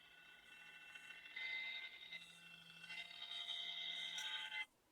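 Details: MSI GE60 laptop after 3 years of use: thin, high-pitched steady buzzing whine from the failing cooling fan, fixed by replacing it with a new fan.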